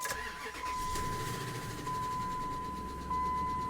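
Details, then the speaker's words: Ram 1500 with headers, 142,000 miles on it and a rusty frame, at start-up: engine cranks, catches and idles with a thin steady tone riding over it. Abnormal engine noise at start-up, cause unclear. "I don't know if I don't know if you can hear that or not but with the rust and that sound no thanks"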